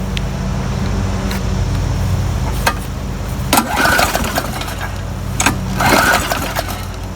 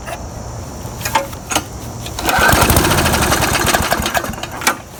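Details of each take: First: Murray lawn mower, tank filled by someone else, around 70 degrees: several pull-start cranks, each a short whirring burst that never catches; fuel found to be about half water, stopping it from starting. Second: Murray lawn mower that would not start, after refilling with fresh gas and priming three times (owner suspected water in the tank): a few pulls, then it fires and holds a steady, even putter at working speed; running normally.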